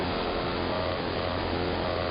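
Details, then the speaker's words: Interference across the entire AM band: constant rough buzzing hiss with a faint steady low drone, like a nearby motor; not apparently RF, owner suspects something electromechanical, possibly from the industrial park two blocks north. "It does not seem to be any sort of RF device causing this. I mean, it's up and down the entire AM band. I believe it's something electromechanical."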